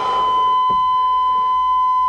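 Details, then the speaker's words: 1987 Chevrolet truck, in a quiet cab with the key out: steady high beep tone holding without a break, a warning buzzer, possibly because the lights are on. "why is it buzzing with the key out maybe the lights are on"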